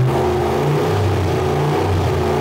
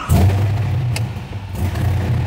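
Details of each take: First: LS V8-swapped widebody Porsche 911 with cooling fans now working and coolant around 180°F: strong, even rumble with clean revs and a smooth return to idle, no knocks or misses. The engine sounds healthy. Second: LS V8-swapped custom widebody Porsche 911 SEMA build with a six-speed manual, known to overheat, just fired up. Deep V8 burble that loads and lifts unevenly into a lumpy rough idle. The owner says it needs a tune; the cause is unconfirmed.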